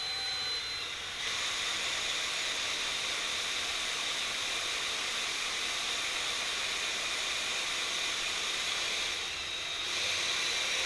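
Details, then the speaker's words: 1966 Ford Galaxie 500 engine with distributor out, oil pump spun by drill in distributor rotation to prime the filter; constant high drill whine and hiss, with resistance rising as oil pressure presumably builds. "it just started getting a lot of resistance so I'm assuming royal pressure is coming up in the Modi"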